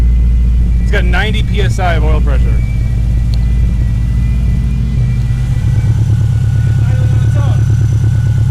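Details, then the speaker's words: Freshly installed engine in a Subaru wagon with a Robtune ECU and MSD coil pack runs with a steady, even rumble that rises cleanly when revved; starting to smoke on first start, near operating temperature, oil pressure falling to about 60 psi as it warms, plenty of vacuum. "it's already starting to smoke all right so everything's everything's working great it actually sounds really good"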